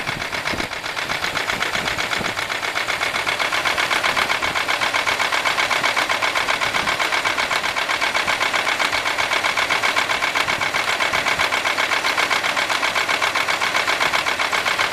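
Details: 1995 Buick LeSabre 3.8 V6 at idle with a fast, steady ticking knock about four beats a second, seemingly from the left side; owner suspects valvetrain, a valve staying open or closed; cause unconfirmed.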